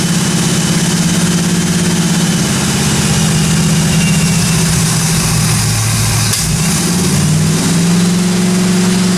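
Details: 1957 Chevy 210 project, new cam break-in run about 20 minutes: steady even idle, low smooth exhaust beat, no valvetrain ticking or tapping; normal running.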